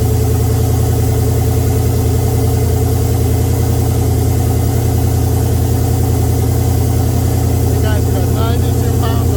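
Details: Oldsmobile 442 V8 just after first start following rebuild (new cam, pushrods, oil pump, valve springs, heads, gaskets); steady even idle, smooth regular pulse, no ticks, knocks or misses; oil pressure 92 psi.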